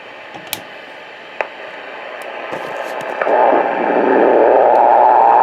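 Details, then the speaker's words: Receiver on 3.764 MHz, 80 m band, as A&H 12 V 4 A switch-mode pulse repair charger on sealed lead-acid battery is plugged in; quiet hiss rises into loud rushing buzz: charger RF interference. "it's a 12vt 4 amp pulse repair charger it's also a pretty good uh am transmitter too as we're about to see"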